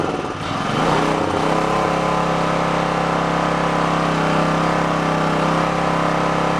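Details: Onan K450 portable generator, yard-sale unit that sat a long time, first start after reassembly on choke, cold, mixture and run speed not yet set: catches into a fast, slightly uneven chug, labouring on choke.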